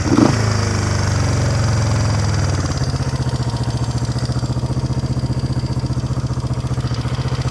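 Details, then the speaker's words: 1971 Honda CB350 twin said by previous owner to have low compression; after a brief rev it settles into a steady, even low idle, both cylinders firing, compression confirmed by finger over spark plug holes; normal idle. "I took the spark plugs out, stuck my finger over it, had compression, and this sounds like it's got plenty of compression."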